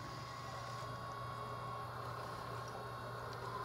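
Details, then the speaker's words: 1994 LT1 Corvette electric water pump, now fed from the former air (smog) pump power supply with 12 V at key on: a quiet, steady low hum with a faint high whine. The pump runs normally. "water pump on so she's working"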